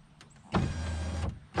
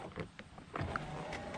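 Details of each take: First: 2015 Chevrolet Camaro LS passenger window after new regulator and motor installed, key on: two smooth, even motor runs under a second each, steady whirr with clean stops, no grinding or binding; the window works properly. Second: 2015 Chevrolet Camaro LS passenger door, key on, window up, switch pressed: low strained motor hum with crinkling and crackling behind the door while the glass stays still; suspected cable tangled in the regulator motor, so regulator and motor were replaced.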